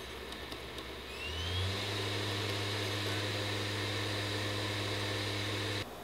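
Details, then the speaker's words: PS5 Slim console: smooth, even fan whir that swells once and then holds steady, with no buzz or rattle; normal fan running noise. "but just so you know what a normal PS5 slim should sound like here's a few clips that show the average amount of noise to expect from the console"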